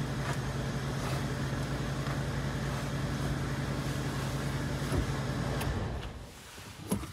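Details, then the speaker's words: Smooth, steady engine idle after replacing the failed clutch release bearing; pressing the clutch pedal no longer raises a whine, where before the noise grew louder when the pedal was pressed. "ها هو صوت المحرك هادئ وعند الجوس على دواس الدبرياج لا وجود"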